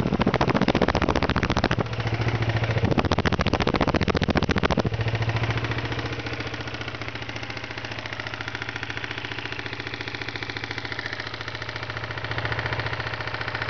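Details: 1992 Ninja 250 at steady idle: a regular hard knock, about three or four a second, locked to engine speed, from bad rod bearings.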